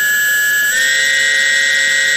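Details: Model-airplane brushless motor driven by an ESC on a battery, STM32 Nucleo L476RG PI RPM controller stepped to about 9,000 RPM: steady high whine stepping up slightly in pitch, then holding clean and even; normal.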